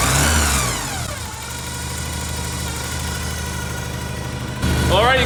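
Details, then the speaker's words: Porsche 944 after DIY service (timing belts, water pump, gaskets, cam housing, fuel injectors, oil, filters), not fully warm: rev drops to steady even idle with smooth low drone, no knocks, ticks or misses; good oil pressure, healthy. "so it runs in a run very happy I feel good about the belts everything spikes down"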